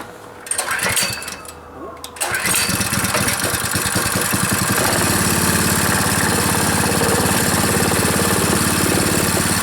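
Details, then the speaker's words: Powerfist small petrol engine, torn down completely and reassembled, first run; catches after a couple of pulls, then smooth steady idle with no misses or knocking. "just going to let her sit there and run for a bit I might end up going across the uh parking lot I don't know sounds good though for you know being tore right down to nothing"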